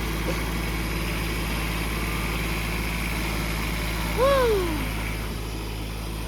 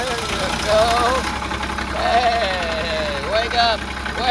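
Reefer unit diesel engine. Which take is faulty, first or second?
second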